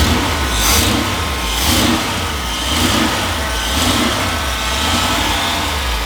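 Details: Carbureted 1978 Jeep engine, just after fitting a new fuel pump and filter to the carburetor, fires and keeps running, rising and falling about once a second as the throttle is worked.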